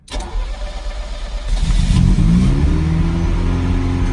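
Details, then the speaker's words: Ferrari 308 cold start during ongoing project: engine catches first time and settles to a steady but fast high idle instead of dropping; runs stronger with more fuel and better throttle response, still revving high and needs tuning. "this engine is getting stronger and stronger as time goes by running a bit more fuel through it just the response from the accelerator things like there is a noticeable difference still revving high need to tune but it sounds good starts first time"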